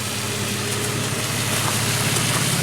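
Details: Nissan Pathfinder after a hard-start and overheat fix with a new OEM engine coolant temperature sensor: smooth, even idle with a steady low hum and no knocks, ticks or squeals. Engine runs healthy.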